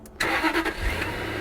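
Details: First start of a Daimler 4.0 V8 that had not run since 2016, with the fuel tank not yet properly fitted: quick crank, catches at once and settles into a soft, even, quiet idle with no knocks or misses; a normal start and idle.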